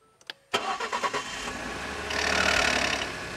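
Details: 2011 Ford F-150 EcoBoost, used and just bought, cold start: starter clicks, a few uneven pulses as it catches, then a raspy rising rush as the idle climbs high; an unusual noise with unknown cause.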